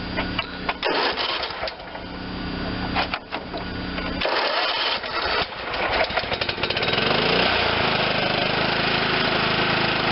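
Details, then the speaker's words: John Deere LT160 automatic, Kohler Command 16hp engine, on jump pack: catches after rattling and settles into steady even idle, no misses or knocks; charging about 13 V at idle, normal. "and it's still charging even at low rtm that's all the way at idle 13."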